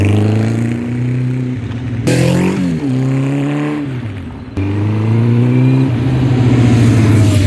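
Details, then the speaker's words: 1984 Honda CB700SC Nighthawk S four-cylinder on test ride just after a top-end rebuild, still breaking in: pulls cleanly through gears, even exhaust note rising and falling with throttle, no knocks or misses; runs smooth. "bike butter oh what a good running bike oh man so smooth"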